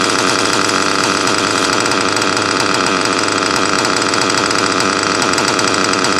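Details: Nitro RC car engine in cold weather: high busy buzz holding steady and even with no misses or stumbles; normal running.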